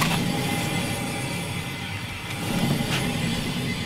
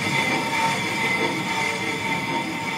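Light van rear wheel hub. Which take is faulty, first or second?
first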